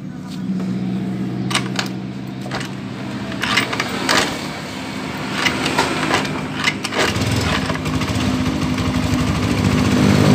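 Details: Honda Scoopy after repair of vibration and noise at CVT pulley, new clutch linings: even steady idle hum with no rattle, judder or grinding; drive smooth and healthy.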